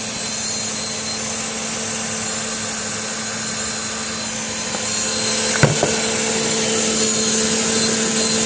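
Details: Engine idling a few hours after an oil change with Engine Restore added, noise heard for the first time: steady whirring hum with hiss and one sharp tick midway; cause unknown.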